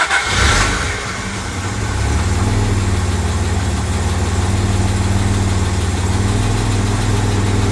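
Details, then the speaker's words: 1985 Jaguar XJ6 Series 3, 4.2L straight-six, after correcting the distributor 180 degrees out and setting timing with a timing light: fires and settles into an even steady idle, smooth low hum, no misses; runs sweetly. "My timing light's pretty shitty, but um how sweet does that engine sound?"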